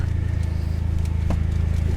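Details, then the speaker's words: Copart SRT with 104 (thousand) miles, sitting unused: even, steady pulsing idle with no sharp knocks once warmed, initial rod knock gone; rpm hangs up, suspected throttle position sensor. Normal idle. "hanging up in the RPMs probably a TP the auto positioning sensor but other than that sounds healthy enough"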